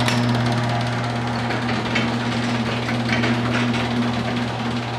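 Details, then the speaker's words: Garage door opener triggered by a converted car alarm remote from the driveway end: steady low motor hum with busy chain rattle, running evenly without straining; working normally with decent range. "so that actually had decent range and it worked"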